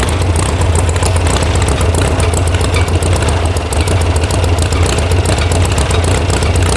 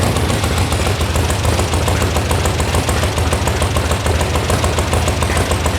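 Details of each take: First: VW air-cooled sand rail (about 1966) after electronic ignition install and firing order fix: loud, lumpy, wavering idle with a bobble; the carburetor mixture screws were backed way out, giving a rough idle. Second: VW sand rail buggy (about 1966), air-cooled engine after electronic ignition install, warm start: fires right away into quick, even exhaust beat at a steady idle with no stumbles; possible loose internal baffle suspected; normal idle.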